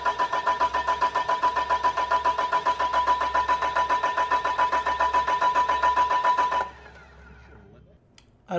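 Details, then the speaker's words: Newly built engine on a chassis, first start attempt with fuel supplied, batteries and a laptop connected to the ECM; even cranking about two and a half beats a second for nearly seven seconds, never firing, as if it had no fuel. Cranks but won't start. "Chuck the guy that built the engine said it should have lit it didn't even make a bark a chirp anything it's as if we were cranking an engine with no fuel"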